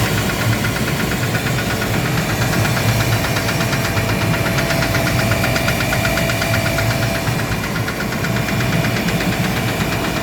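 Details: Gardner Denver screw air compressor: a heavy, uneven low thumping under the steady drone. The knocking came from a defective pressure valve and was fixed by replacing it.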